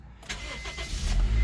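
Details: Car recovered after being stolen, with new fuel filter and custom radiator, no HVAC fan: cranks briefly, catches cleanly and settles into a steady low idle without misses or knocks; no check engine light.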